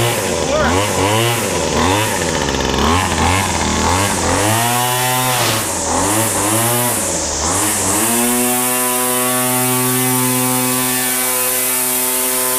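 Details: Weed Eater FeatherLite Plus FL26 two-stroke trimmer, which before would only run on half choke, after a new carburetor, fuel lines, filters and fresh 40:1 mix: revs blip cleanly and hold a steady high rev. Normal running after repair.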